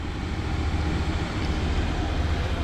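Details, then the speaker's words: Diesel air heater just reinstalled in truck camper, glow plug shut off, voltage rising to 11.4: even low whooshing roar with steady fan rush, no sputter or surging; warm air coming out, running normally. "all right so you can hear it now she's revving up we got hot air coming out of there well warm air right now"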